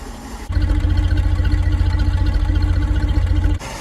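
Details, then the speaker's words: Land Rover Series 2.25 petrol, first start in about two weeks, during a service: a low, even thrumming idle without stumbles or knocks as it warms. Choke backed off, engine nice and quiet, block still cold; normal cold idle. "Right, I'm starting to get a bit of temp now. I'll try and back the choke off a little bit. That's better, nice and quiet now, isn't it?"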